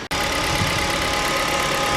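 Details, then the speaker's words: 2014 KIA Ceed 1.6 G4FG, manual, 156,000 km, after rebuild for piston knock (block bored to repair size, head reassembled): steady even idle, no knock, faint alternator whine/noise; normal idle. "готов ижевск немножко по шум ливают генератор но 156 тысяч пробега на него немало а так все нормально"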